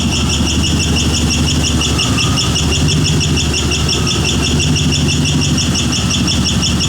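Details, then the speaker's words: 5.3 engine swapped in for a 4.8, still a little cold, throttle held by hand with no idle air control valve: a steady high metallic squeal, rhythmic, no knock or tap; owner suspects starter or flexplate, source still unknown. "then it's like a screeching squealing metal circular noise like R rhythmic it doesn't sound like it's no knocking no tapping nothing"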